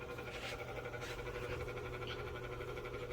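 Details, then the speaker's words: Vornado air circulator fan on speed one (lowest): steady low hum with a faint fast pulsing flutter, while speed two is quiet; owner unsure why it sounds like this; fan noise at low speed. "Huh? I don't know why my vornnado sounds like this on speed"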